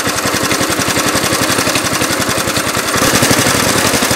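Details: 1971 Briggs & Stratton 2 HP single-cylinder on a Webb mower, cold start after new recoil rope and cleaned spark plug; slow, slightly uneven chugging around 220 beats a minute: idle speed set too low.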